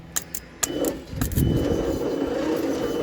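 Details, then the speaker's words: Old Leyland/Austin cab-over truck with the starter wired to a jumper battery: a few clicks, then a sluggish, labored whir as the engine turns over very slowly without catching. Possibly stuck in gear; the original coil was found broken. Slow cranking. "It's a very slow crank, but it is a crank."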